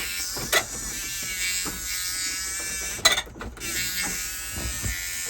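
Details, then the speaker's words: 1978 Dodge Adventurer Power Wagon, 318 V8, automatic, 4WD, being readied for its first start in over a decade: a steady, high, bee-like warning buzzer stays on throughout, with a few handling bumps, until it is removed; the cause is unknown. "Sound like a freaking bee. All right, that annoying thing's out."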